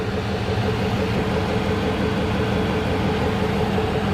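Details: 2003 Dodge Ram Hemi V8 after new battery installed, multimeter on battery checking charge: even steady idle rumble with no ticking, misfire or whine; normal idle, alternator charging where it should.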